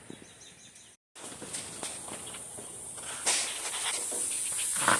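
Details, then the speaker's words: Thin, steady high hiss from the front of the car near a bottom AC hose that looks wetter than surrounding parts, with footsteps; refrigerant leak in the AC system. "I don't know if you can hear it but that bottom hose right there you can see where it's just a little bit wetter than everything else so apparently I do have a leak in the AC system"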